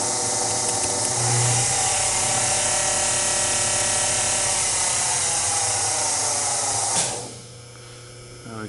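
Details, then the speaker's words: Acroloc CNC converted to Mach3, original Getty spindle on original Getty speed control via VFD step/direction: belt-driven spindle ramps up to a clean, steady high whine with an even whir, then cuts off; runs smoothly. "as you can hear it probably see the belt up there spinning maybe maybe not I can control the speeds based on input hear it ramp"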